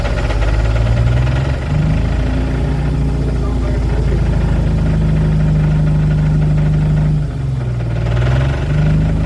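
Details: 1997 Jeep TJ 4.0L, 50k miles, rebuilt with new pistons and rings after years of piston slap: loud heavy knock at idle, much quieter when revved slightly; good oil pressure, runs rough as if down a cylinder, middle two injectors unplugged changed nothing.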